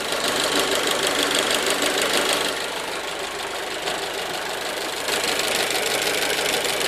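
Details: Fiat/Alfa 1.4 T-Jet 155 hp engine running steadily with a light, fairly regular tapping about three per second on top; knock present, source not pinned down, cause suspected but not confirmed.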